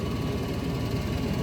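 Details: Goodman gas furnace, no-heat call with six-flash flame rollout limit fault: low steady rumble with even airflow hum and no rattles as the blower kicks on with burners lit; no rollout seen, limit switch to be replaced.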